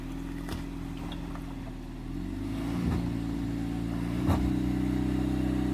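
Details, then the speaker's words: Jeep Compass Latitude, 4WD locked, mud mode, first gear climbing an off-camber hill: engine pulls hard, revs climbing then wavering as wheel slip is caught; traction control working normally. "You can hear the traction control sorting it out, and I could have easily continued up that hill, but there's a stump there, so I didn't want to hit it."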